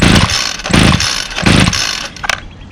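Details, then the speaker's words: Two-stroke string trimmer that only runs with the throttle held and dies as soon as the throttle is released, started with choke and primes: three short coughing bursts that catch briefly and fade; won't keep running, needs repair. "i can only hold the throttle down second i let off of the throttle it dies um so i'll demonstrate that"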